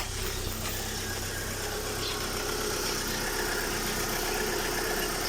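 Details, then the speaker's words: Mitsubishi Lancer idling just after a timing belt replacement and crankshaft gear timing fix: steady, even idle with a smooth low pulse and no knocking or belt slap; owner hopes the belt wobble is gone; normal idle. "Yan, mandar na. Sana wala nang gewang."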